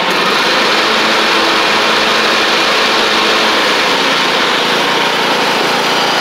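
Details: MTD Craftsman LT1500 riding mower with replacement single-cylinder engine, first run with blades on: even, steady buzz with blades spinning, no misses or knocks; runs healthy.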